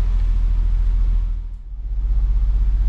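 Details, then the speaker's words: Fiat Brava parked 23 years, first runs after revival, clutch pressed: deep steady idle with an even low pulse, one brief dip then back to a round smooth beat; earlier feared knock gone, idle now normal. "agora tá bonito cara que que só quero saber da janta Agora sim na lenta redondinho"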